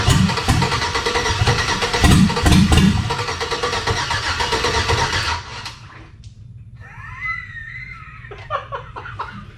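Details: Chevy V8 swapped into a Jeep Comanche, hotwired starter and fuel pump, spark and fuel pressure confirmed, runs only on starter fluid: uneven cranking about three beats a second with a few pops that never catch; cranks, barely fires, won't start.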